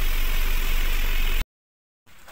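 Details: 2023 Ford Ranger 2.0L 4x4 diesel, push-button started before an engine bay wash, with no check-engine light. Smooth, even low rumble at idle for over a second before it cuts off, with no knocks or misses; idling healthily.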